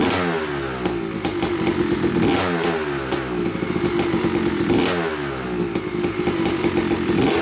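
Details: Yamaha YZ250 two-stroke motocross bike (250cc/270cc) after year-long full engine rebuild (bottom end, transmission, bearings, clutch, power valve), first start-up after a few kicks: crackling popping into life, blipped with uneven bursts, keeps running; break-in smoke normal; normal running.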